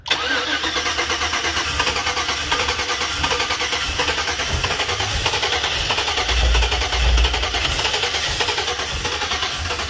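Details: 2007 Chevy Avalanche 5.3L, ECM replaced, codes P0123 P0223 P0315 P0633 U0214: long steady cranking with even starter beat, never fires; crank no start, owner suspects bad anti-theft module or cheap key.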